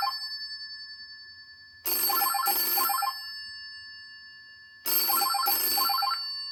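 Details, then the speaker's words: 1963 GPO 706 rotary dial telephone in Concord blue, ring-back test: clear double rings about a second apart, repeating every three seconds, crisp even strikes; bell ringing properly. "So here we go. So this is what the ringer sounds like."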